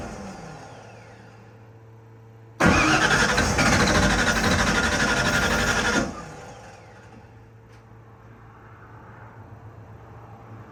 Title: 362w crank no start with PimpX ecm #automobile #fordf150 #nostart #ford